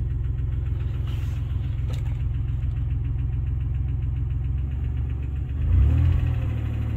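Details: 1990 Dodge Grand Caravan LE, first start after fuel rail rebuild and reassembly: fast steady clatter over a low drone, rising briefly; owner suspects no oil pressure, unconfirmed.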